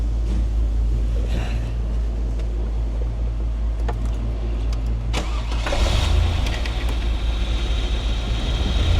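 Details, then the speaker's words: 1997 Chevrolet Camaro SS with a misfire, held at 2,000 rpm with a vacuum leak created by pulling the brake booster hose: low, uneven rumble with vacuum hiss. A lazy cylinder now fires but one cylinder still has a dead miss. Rough idle. "See, now this one that was lazy is is working now. Before it was being lazy. Now it's stuck. It's got a It's got a dead mist, dude."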